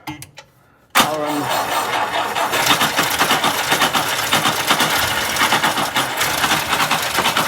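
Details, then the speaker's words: 1959 Ford Taunus 17M on its first start attempt in the USA, with power confirmed at the coil. Fuel is leaking out of the carbs while it is cranked to draw fuel. The starter churns steadily with a rhythmic pulse, but the engine never catches: cranks, no start. "tom crank it it's leaking out of the carbs just crank it let it get fuel come on tawny keep going"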